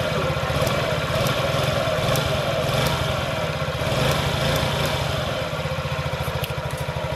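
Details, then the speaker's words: 2017 Honda Ruckus NPS50 50cc four-stroke scooter idling on an inductive tachometer, before being raised slightly: slow, slightly uneven putter that sounds close to stalling. Idle seems set slightly low. "I'm going to go ahead and fill the engine it sounds like it's just about it might be just too low because I really don't want it dying so I'm going to turn it up like 10 RPM"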